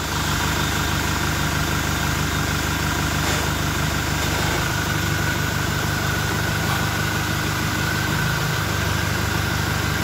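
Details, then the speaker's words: Toyota Innova Reborn diesel with open air filter after about 600–700 km, parked with throttle blips: steady diesel rumble with a clear, high turbo whistle as it spools; normal intake sound with the open filter. "Oke tadi setelah kita dengarkan Bagaimana suara siung-siungnya ya suara turbonya suara dengingan turbonya kita sudah dengarkan tadi saat mobil kita berhenti"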